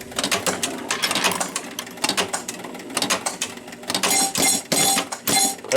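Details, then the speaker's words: 1976 Williams Space Odyssey pinball machine after running out of credits and reset with a free-play hack: repeating clattering relay and cam clicks cycling nonstop as the score motor runs continuously, still trying to kick out a ball already kicked out. "So the score motor is continuously running."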